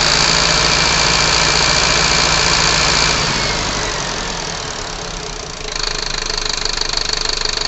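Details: Unit 45 217 running hot (Torino MD): idle with a fast, even pulsing rhythm and a rough, shaking undertone that dips and returns, a failed fan clutch with engine vibration.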